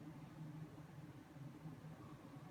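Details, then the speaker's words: New Fan industrial 4-blade ceiling fan on decade box at low settings, bearings very stiff and being freed up: faint low hum that wavers and sags, motor barely turning, stalling near setting 6; stiff bearings. "It's like it had a lot of struggle to even start."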